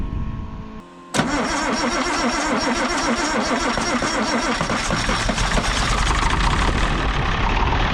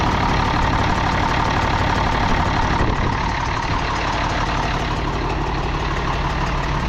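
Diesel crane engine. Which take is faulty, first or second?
second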